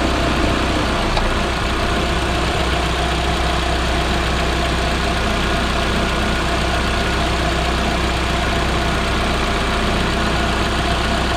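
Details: Proton Inspira (Lancer 08), one week after replacing the belt tensioner, idler pulleys and V-belt: a smooth, even idle with a steady low hum and no chirp, squeal or rattle. The belt drive sounds healthy.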